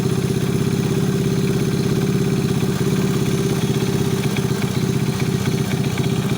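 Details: Alpha 110 motorcycle engine: a sharp, regular metallic knock on the idle at about one to two per second; internal knock of unknown cause.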